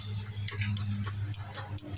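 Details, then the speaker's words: After rewiring with a new ground and computer: sharp starter clicks about three times a second over a low hum, no crank; engine turns by hand so not seized, owner suspects starter; too little power. "I can hear the starter clicking."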